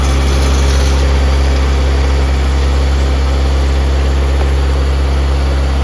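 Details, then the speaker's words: Honda K20Z1 (Type S) swapped into a Mitsubishi Eclipse, first crank and first start with ECU newly wired and two check engine lights (IAT, O2 sensors): steady, smooth idle with an even hum and no knocks, sitting slightly high; coolant not yet added. "So tied a little high because got to put water in it and stuff."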